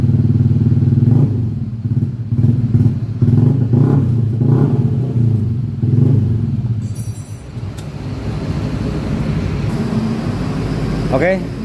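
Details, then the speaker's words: Yamaha Aerox 155 scooter after a total electrical failure, fixed by reconnecting a disconnected cable in the ignition circuit and charging the battery; low even thrum settling to steady idle, normal start. "the motorbike can start the engine."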